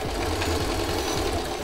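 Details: Singer oscillator sewing machine, after rethreading and bobbin tension adjustment for thread gathering underneath, sewing medium-weight cotton: even light clatter about three stitches a second, smooth, no grinding or catching; healthy.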